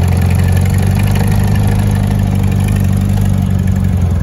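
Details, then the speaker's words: 1977 barn-find VW Bus Type 4 air-cooled flat-four, first start in over three decades: steady, even low burble with no knocks or misses; idling healthy. "but before this is over with or when it's over with you should hear that type 4 turn like a kitten"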